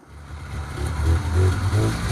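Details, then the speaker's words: Polaris 500 Widetrack two-stroke snowmobile, unstarted for about six months and booster-started after plug check and fuel: fires up and revs cleanly, rising and falling smoothly with no misfire or rattle. Healthy. "I'm just blown away that it started so fast we're going to go give it a test [Music] run"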